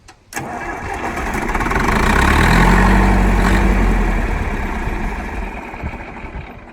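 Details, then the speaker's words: John Deere 3020 diesel started right after replacing the fuel filters: catches almost at once, swells into a chug, then loses speed over a few seconds and stalls, which can happen after a filter change. "Now, as soon as I put these on here, I like to crank it up right away. Okay. Just start her up, make sure everything's good to go. Sometimes it may die, sometimes it may"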